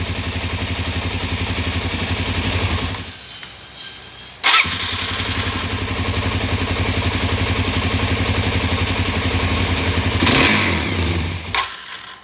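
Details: 2017 Suzuki DR-Z400S single, stored with fuel left in carb, just after priming. Fires unevenly and dies out twice, catching again each time, a stumbling lean-sounding idle. Owner plans richening fuel screw to three turns.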